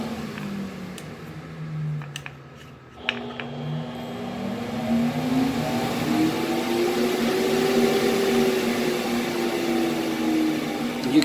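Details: Exhaust fan of a 60 W CO2 laser cutter, speed controlled by an added dimmer switch: whirring tone dips, then climbs and settles higher as speed is turned up; blower runs smoothly at each setting.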